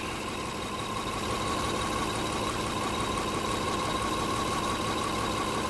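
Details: Toyota Kluger V6 3FE engine idle misfire: uneven idle with loose pulsing, about three beats a second, over a faint whine. Disconnecting cylinder 6 gives no rpm change, and the bank 2 O2 sensors read rich.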